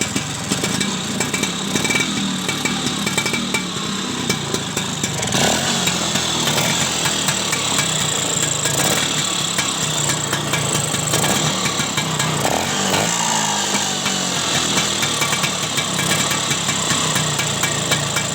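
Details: Vespa two-stroke scooter after carburetor service to cure rough snoring running: steady, even idle buzz with no stumbling or stalling.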